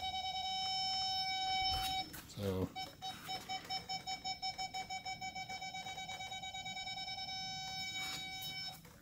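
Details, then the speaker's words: 2001 Ford Excursion in accessory mode and reverse after replacing all rear backup sensors: mid-pitched beep about three times a second, steady tone at times when close; parking aid working. "put it in reverse notice that the off light now it turns on and off as you would see you get close to him he should hear it"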